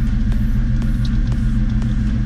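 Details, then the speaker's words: 1994–2004 Mustang GT with long-tube headers, first start after starter replacement: starts instantly with no grinding or hesitation, deep even V8 burble; normal running. "Starts right up. Oh, that sounds so good. Let me do it again. It didn't even hesitate."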